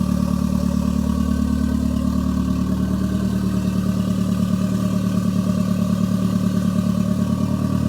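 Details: Toyota MR2 with Gen5 engine swapped in from a Caldina, first start with no exhaust fitted: loud raw unmuffled idle, quick even pulses holding steady; normal idle. Owner suspects bent O2 sensor behind check engine light.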